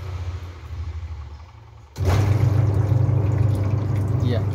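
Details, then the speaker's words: Sharp washing machine wash motor after repair: previously very weak spin, capacitor dropped from 11 µF to 7 µF and replaced, a scoop of water added to lubricate the seal; quiet start then strong steady hum with churning water, full power restored. "dari suaranya ketahuan sekali bahwa mesinnya sudah bertenaga lagi, karena kondensor yang harusnya tadi bernilai 11 UF turun jadi 7 UF sudah kita ganti perbaiki ya."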